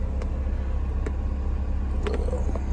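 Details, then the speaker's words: BMW E36 idling before full warm-up: steady, even low idle, no rumble or shake, faint ticks; normal idle, though it sputters, bogs and goes into limp mode once at mid temperature, owner suspects vacuum leak. "all right so now it's item pretty good it's not rumbling or anything or shaking"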